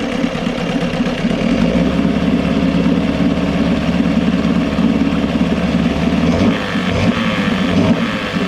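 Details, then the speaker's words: Johnson 6hp two-stroke outboard, compression and spark good, hard to prime when cold: busy steady drone that stumbles and sags when throttled. Lean bog on acceleration, attributed to the float set too low so the bowl ran out of fuel. "I think the reason why I was bogging down when you give it throttle is because the float was set too low basically, and it was just running the bowl out of fuel and not filling it back up."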